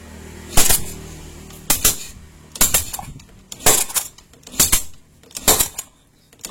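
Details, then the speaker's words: Yamaha Jupiter Z motorcycle, spark plug removed, plug hole covered with finger while kick-starting, ignition off: loud sharp pops about once a second, strong pressure out the hole, indicating good compression. "Kalau ada suara yang sangat keras ataupun pantulan yang sangat keras, berarti motor ini ada kompresinya."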